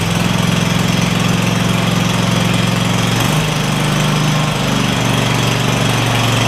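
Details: Craftsman DYS4500 lawn tractor, Kohler Courage V-twin, after swapping the 12V ignition module to traditional coils and a new spark plug on one side: steady, even two-cylinder beat at fast idle, no missing or hunting, both cylinders firing.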